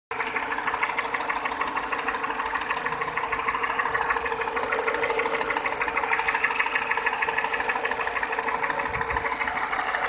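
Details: Peugeot 207 petrol engine at light idle: sharp, regular metallic clacking of about three ticks a second; engine ticking/knock, cause unknown.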